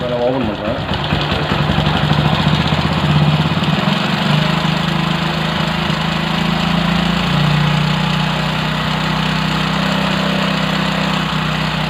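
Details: Motorcycle carburetor check after raising to about 2000 rpm, during air screw adjustment: idle climbs, then settles lower and holds steady without hunting; the carburetor responds cleanly and the idle is normal.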